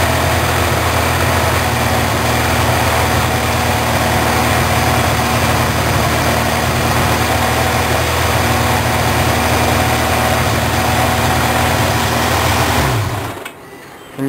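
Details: Four-cylinder carbureted engine at idle after carburetor synchronization with a homemade manometer: a smooth, even idle with a steady beat of about four pulses a second and no misses or hunting, until shut off; cylinder four slightly strong. Normal idle.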